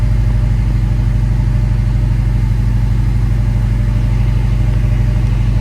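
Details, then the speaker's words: Subaru WRX after engine rebuild (new rings, pins, full Subaru gasket kit), AC freshly charged: starts right off and settles to a steady, even low idle with the AC running, no misses, knocks or smoke; normal idle. "So, let's go ahead and take this car out and go for a spin. I really hate that sticker right there. Starts right off. AC kicking on is very cold."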